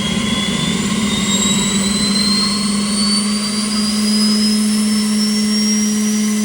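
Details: Boeing T50 jet turbine-powered Camaro driving, gauges all good, coming down nicely from high RPM: steady turbine whine with high tones climbing smoothly as it spools over a low drone, nothing rough; turbine running healthy.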